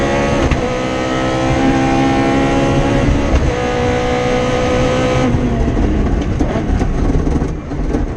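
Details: Rally car on the Padmore Village to Golden Grove stage, Rally Barbados 2017, giving a strong, even howl at high revs under full load with no stumbles or cut-outs: the engine is pulling cleanly.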